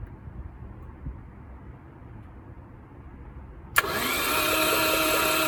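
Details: Long-forgotten Porsche 924 Turbo crank test with steering column wiring unplugged except ignition: after a quiet stretch the starter churns evenly at about three turns a second, a normal crank with no catch.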